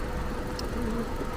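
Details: 2007 car with ABS light on when air conditioning runs, after new alternator fitted because old one wasn't charging, restarted: even, steady low idle with no knocks, squeals or misses; running normally after repair.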